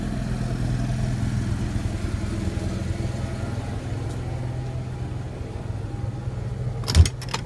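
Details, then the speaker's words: Onan Marquis Gold 5500 RV generator with a new fuel pump, RV unplugged, carrying the air conditioner, likely battery charging and fridge. Steady low drone holding even speed, no surging, one brief clatter near the end. Normal running under load. "all right so the air conditioner just came on batteries are probably charging and the fridge is also on which has been off for a while now"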